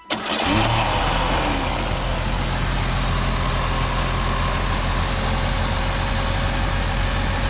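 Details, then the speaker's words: 1987 Pontiac Acadian restarted after the plug wires were reseated, during a check before a road trip; a brief crank, then it catches at once and settles into a steady, even idle with no misses or knocks. "Okay, we are going to see if she wants to start up again."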